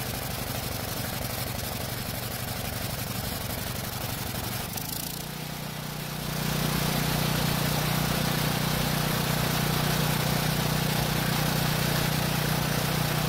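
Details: Small generator engine that ran only on choke, after cleaning partly clogged carburetor jet buildup: runs steady and even at constant governed speed, firm low hum, no surging or stumbling; normal running off choke.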